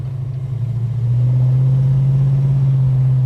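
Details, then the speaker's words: Holden HK automatic V8 on the road: deep, even burble swelling under acceleration, no clunks or droning; the earlier horrible low-down noise under acceleration is gone and the exhaust note sounds as it always has. "well that noise is now gone and was sounding like it always has had that beautiful nice little note out the exhaust"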